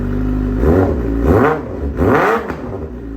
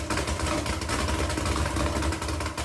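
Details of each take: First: 2009 Suzuki GSX-R600 after spark plug and air filter replacement to cure a rough idle: three crisp blips rise and fall cleanly from a settled idle with no stumble or misfire; sounds much better. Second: 2009 Suzuki GSX-R600 four-cylinder idling unevenly with lumpy low exhaust pulses; rough idle blamed on spark plugs, with spark plugs and air filter being replaced.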